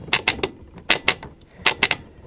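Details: Thorn 38T1 (AWA/Thorn, early 1980s, Mitsubishi Q chassis) CRT TV twin rotary tuner after cleaning contacts with switch cleaner lubricant: crisp, sharp clicks in groups of two or three as the knob turns; detents snap cleanly, working normally.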